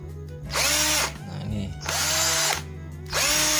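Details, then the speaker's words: NRT Pro DC 330 cordless drill with stock RS 550 motor, speed setting two, right rotation: three short trigger pulls, each a clean high whirr spinning up and winding down evenly; normal stock motor, compared with a rewound larger-coil version. "Just from the sound, it's different, this is the standard version."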